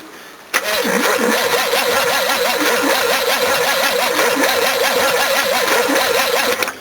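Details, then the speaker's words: Battery found dead at the roadside and revived with 2 days of trickle charge, cranking a 351 V8: fast, even, strong cranking for about six seconds with pitch rising and falling per compression. "That's off its nut. This is the brand I recommend as well."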